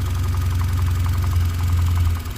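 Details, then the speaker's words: 2013 Cadillac ATS4 2.0L turbo, hard to start, running rough and misfiring: rapid metallic knock at idle over a deep rumble during a power balance test; disabling cylinders 1 and 2 leaves the knock, disabling cylinder 4 makes it fade; the engine-knock TSB ECU update was already done. "we disabled one you hear it now but the knocking still there okay let's go to two it's gonna disable runs rough knocking's still there"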